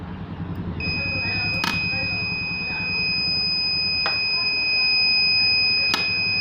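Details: Microtek hybrid inverter under repair: steady shrill beep holds unbroken after the first second with a few sharp clicks over it; buzzer alarm sounding, cause unknown.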